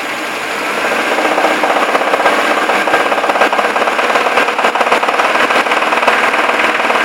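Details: Moskvich 2141 engine running: a harsh, rapid metallic knocking from inside the motor, steady and dominating the upper range.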